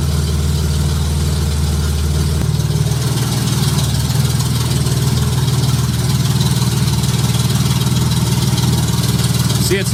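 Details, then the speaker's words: J35 engine swapped into a Subaru Baja with AEM Infinity ECU, 183,000 miles, first start, cold, no throttle while warming: catches quickly and idles steadily and evenly, with no knocks or excessive valvetrain noise and good oil pressure. "yes yes fired right up i'm not going to hit the throttle yet i'm going to let it warm up a little bit first"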